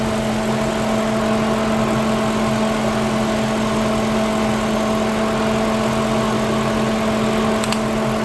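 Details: Lincoln Town Car after replacing an electric radiator fan motor that wore out after 19 years and caused overheating; idling with temperature holding normal. Steady even whir over a smooth idle; radiator fan running normally.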